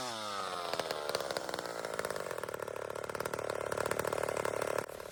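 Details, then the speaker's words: Old McCulloch chainsaw, not run in 25 years, carb deliberately set rich: uneven burbling run that skips and stumbles, four-stroking from the fat mixture, to be leaned out. "She's a little fat, friends. And I've been running that way on purpose. Hasn't run in 25 years. So, I'm just giving her some fuel here."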